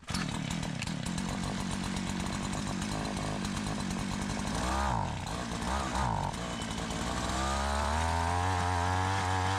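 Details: Curb-found Tecumseh two-stroke Mantis-style tiller, warm restart without choke after carburetor adjustment, tilling in gravel: fires up, revs dip and pick up, then holds a steady buzz; running fine.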